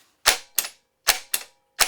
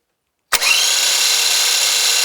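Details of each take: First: Starter on a bench test with only the S terminal and ground connected and no main feed: sharp, crisp clicks in pairs, about three pairs in two seconds, with no motor spin, the solenoid engaging normally. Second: So everything's working electrically, mechanically, but if you noticed, this guy comes to a stop awful quick, and it sounds like the bearings might be dragging or something like that, which would cause a little bit higher than normal electrical load.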